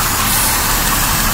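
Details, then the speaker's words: Engine idling after earlier work: loud steady hiss over a low, even idle from a dry-rotted, cracked vacuum hose found near the intake using carb spray. "oh I think I found it right here around this piece oh it's cracked I didn't see that yeah there's my problem you can probably hear that"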